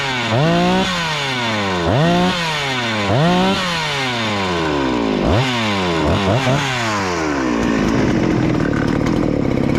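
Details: Rebuilt Husqvarna 288XP chainsaw (new cylinder, piston, swapped crankcase), high-speed screw adjustment having no effect: revs hard, hangs high between blips, then thin high pitch; very lean carb mixture, risking cylinder scoring.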